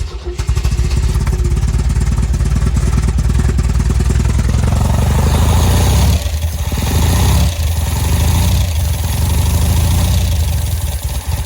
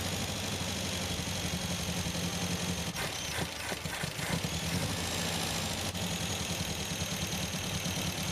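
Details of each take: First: 1974 MGB, first start after a full engine rebuild, engine not yet hot. Ignition timing is only roughly set, so it runs lumpy and uneven with irregular firing and level dips. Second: 1974 MGB with a freshly rebuilt engine, choke off. Steady, even idle around 850 rpm with a smooth, mean four-cylinder exhaust note and no misfire, apart from a few brief handling clatters: normal idle.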